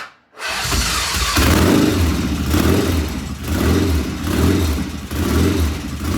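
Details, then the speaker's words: 1975 Norton motorcycle, first start after rebuild, checking oil flow: loping idle surging about once a second; occasional irregular running, cause unknown, plus one loud tappet suspected; tappets to be rechecked once cool. "One sounds loud, and then we have that occasional. I'm not sure what we have occasional, but something occasionally was not right."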